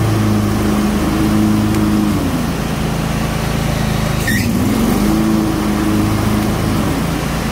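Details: John Deere X320 riding mower, 48-inch deck, after replacing the deck belt (OEM M154958): loud steady engine drone with a smooth whine from the spinning deck, no slapping or squealing belt; running healthy.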